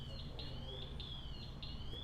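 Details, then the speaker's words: Firefighter's PASS safety device sounds when the wearer stays still a few seconds: a high, shrill rising electronic chirp about twice a second, the pre-alert before the louder full alarm. "you hear that beeping sound if he doesn't move for a few seconds and then the alarm sounds if you stay still in the reason that's a safety device"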